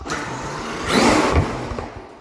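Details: Traxxas X-Maxx after 6S-to-8S center differential conversion: short electric whir rising and falling with throttle, no clicking, knocking or grinding from the drivetrain; runs smoothly.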